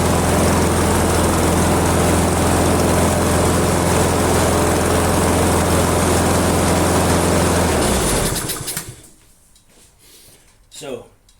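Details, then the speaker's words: Ginge Classic lawn mower with Loncin engine, flea-market find: even, steady low thump about 3.5 beats a second, then cuts out; carb adjustment screw turned fully in improved it but engine still runs slower than wanted. "the screw all the way in on the car here and it it improved it but I'm I would personally personally like it to run a little bit faster"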